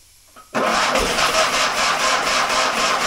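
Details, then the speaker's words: Fiat 126 barn find, stood many years: after short silence, catches and runs rough and uneven on brake cleaner as starting fluid; fuel pump not pumping, diaphragms suspected dried out. "Han går ju uppenbarligen på startgas, eller ja, bromsrengöring. Pumpen han pumpar inte, förmodligen så är membranerna snustorpan eftersom h"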